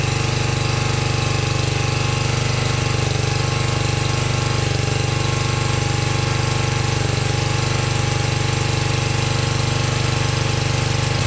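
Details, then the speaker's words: 1982 LongLife 36-inch lawn tractor, barn find unused for years, running after carburetor needle work, battery suspected dead: settles into even, steady thumping, no misses, surging or knocks; runs really good, normal running. "Wow, that runs really good. I'm pretty happy with that."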